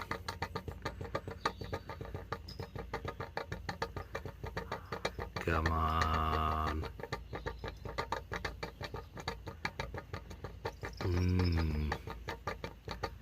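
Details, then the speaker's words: MGB off the road 28 years, after replacing fuel pipes: fuel pump ticks steadily about three per second without slowing as it struggles for fuel; blocked pickup in the tank, noise changed when pickup pipe removed. "M oh it's struggling M okay maybe we got a block pickup let's have a look at that"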